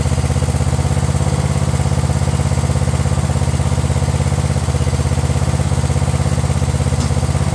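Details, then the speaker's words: Craftsman LT1000 riding mower engine after repairs including starter and carb: steady, even low thump about three beats a second with no misses or knocks; running smoothly. "Funny just how much a machine can change just by just running better. This thing seemed like an absolute pile of crap before, but now that it actually runs half decent, it seems like it's ready to sell already."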